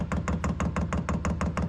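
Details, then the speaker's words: Newly installed Chinese diesel heater on 12-volt wiring, first start-up: quick, regular ticking about eight beats a second over a low thump, steady and even, as it lights and blows hot air. Normal start-up. "Okay, I don't know what I did, but it's on. I expected it to smoke because of that wet wrap I put on there. It's blowing pretty good."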